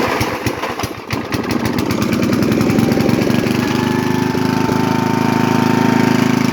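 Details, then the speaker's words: 1983 Briggs & Stratton 8hp Sno-Gard 318.5cc engine, model 190492, refurbished with rebuilt fuel system, 120V electric starter, cold start: starter whirs, catches, steady even single-cylinder beat, no misses or popping; runs smooth. "Ricky Stratton snowboard being run so smooth none of that - comes up popping that was a cold start by the way"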